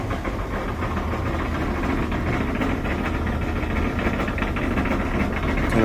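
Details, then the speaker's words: LG dryer running: steady low rumble under the turning drum; worn drum support rollers, usually the front two of four, fixed by replacing the front rollers. "rumbly noise usually this is due to a worn out support wheel this dryer has four support wheels"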